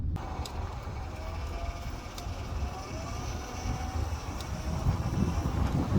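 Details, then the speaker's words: Honda Ridgeline power steering whine: a faint, wavering mid-pitched whine rises and falls as the wheel is turned, recorded out the window before adding stop leak; fluid is a little low and the owner suspects a small leak or air in the lines. "It happens as I turn the wheel. It starts to whine, and I'll show you out the window what it sounds like."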